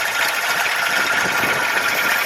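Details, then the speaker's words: 1997 Ford Ranger 2.2L four-cylinder without AC after a serpentine belt change: a fast light ticking over a steady idle with a faint chirp from the belt side, suspected to be a failing idler pulley that could break the belt. "so we got power steering it's getting first gear hard to drive a stick and have a camera but yeah that idler pulleys gonna snap and probably break this belt so I'm gonna order one and just do it"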